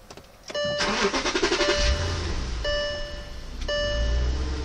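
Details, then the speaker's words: 2005 VW Touareg right after a battery replacement, reading 14 V with the alternator charging: a brief starter churn over a chime, then the engine catches on the first try and settles into an even idle, starting normally. "Start it up on the first try. Car's running beautifully."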